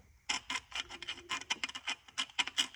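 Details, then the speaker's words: Disassembled Infiniti G37 VQ engine: screwdriver rasps and catches across a scored crankshaft rod journal instead of gliding as on a good surface, showing a bad crank from failed rod bearings. "that means that crank is bad because you hear that noise it's dragging it's bad bad rod bearings"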